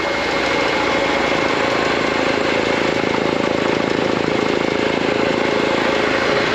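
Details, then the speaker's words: Used air compressor, Harbor Freight pump, Grainger electric motor, 80-gallon tank, new pressure switch, filling from zero: fast even pump chugging about two beats a second, steady and loud; normal running. "Tank was bled down to absolute zero, so with the new switch in there, let's wait for air to come up. Starting to hear it huff and puff a little bit."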